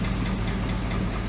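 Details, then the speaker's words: Truck engine idling with deep steady rumble and a faint quick ticking on top; owner suspects lifters and rocker arms tapping and needing engine work. "I have to do some engine work my lifters and rocker arms and all that or tapping out probably can hear it in this video"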